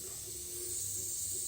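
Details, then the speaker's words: Mazda MX-6 leak-down test, second cylinder pressurized (gauge zeroed near 35 psi): steady high airy hiss, about 50% leakage; tester thinks the hose leaks more; first cylinder leakage attributed to rings. "No, bueno, segundo cilindro, la misma 50 de pérdida más o menos."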